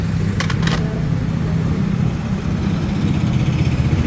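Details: Royal Enfield Classic 350 single at idle: deep, rough low rumble with uneven knocking undertone; crank bearing failure.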